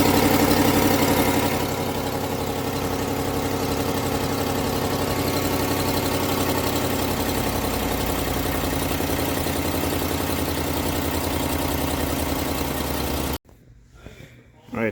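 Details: 2019-on Ram 1500 5.7 Hemi: sharp, steady ticking about four times a second over a smooth V8 idle from a cracked exhaust manifold, tick fading within minutes when warm; fixed by replacing both manifolds.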